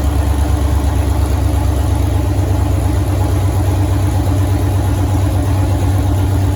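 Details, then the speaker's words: 1983 Ford Mustang with rebuilt 5.3 LS V8 from a 2002 Avalanche, upgraded cam, 4L60E, first start: deep steady idle with slight lumpy cam lope, even and smooth throughout; everything sounds good, normal idle. "All right. So we fired the motor up there. Everything sounds good there."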